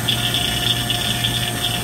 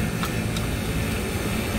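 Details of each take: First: Vacuum pump pulling down an AC circuit after leak repair and recharge prep; steady pump drone with a strong airy hiss as air is deliberately introduced, quieting as vacuum deepens: air leak into system under vacuum. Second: HVAC rooftop unit vacuum pump pulling down the refrigerant circuit after leak repair; steady even low drone holding pitch without gurgling or labouring, no sound change indicating air seepage — normal deep, leak-free vacuum.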